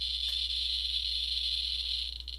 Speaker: So all the geer counter is telling us is there is more radiation here or more radiation now than there was a moment ago when it starts clicking more.